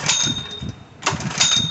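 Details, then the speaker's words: Third-lung unit with Honda GX120, oil and gas checked, gas on: two quick pull-start rasps with good compression and suction but no firing, even choked; it later fires on carb cleaner, so it has spark and compression but no fuel and needs a carburetor. "All right, that fired up. That means it has spark, it has compression, but it's not getting fuel."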